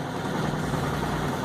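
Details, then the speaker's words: Brastemp 11kg washing machine after repair of a basket scraping/dragging noise: a steady, even low hum with no knocks, scraping or rattles. A normal wash cycle. "aí vai ver que não tem mais nenhum ruído diferente o barulho está tendo aí é normal da máquina é toda brastemp pode-se barulheira barulho é normal"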